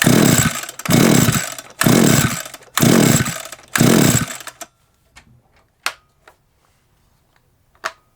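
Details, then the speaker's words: SGS Engineering 26cc two-stroke strimmer with wire-brush head: short sputtering coughs about a second apart, then silence and faint clicks. It has good spark but won't keep running; owner suspects a wiring issue. "i might have uh good coughs it's got spark but then it won't cough"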